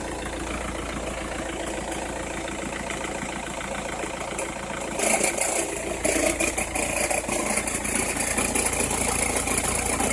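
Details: Opel/Vauxhall Meriva engine cold at low idle: irregular light crackle about three per second, hissier toward the end, occurring only when cold or at very low revs; source unclear.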